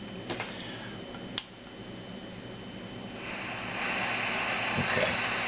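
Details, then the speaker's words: Zenith Trans-Oceanic Royal 3000-1 portable radio after replacing several capacitors, audio amplifier confirmed working; steady hiss with a few sharp clicks, then louder static and no station on any band or tuning. "that's what we got and it doesn't matter where which band it's on uh where you tune it that's that's what it does"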